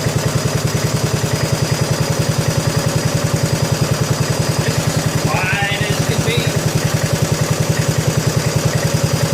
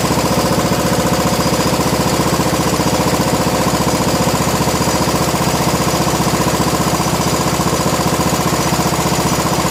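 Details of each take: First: 1987 John Deere SX75 lawn tractor cranked on request to hear the starter. It turns over steadily at about three and a half beats a second but never catches, suggesting a lazy starter; the cause is suspected, not confirmed. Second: 1987 John Deere SX75 riding mower, first run after sitting, with fuel in the filter and a charger on the battery: steady even single-cylinder chug at constant speed, no misses or knocks; normal running.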